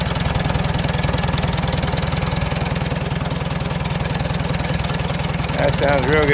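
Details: 1947 Farmall A four-cylinder, after carburetor jet adjusted up following lean running: steady even low putter about four beats a second, no misses; idling smoothly.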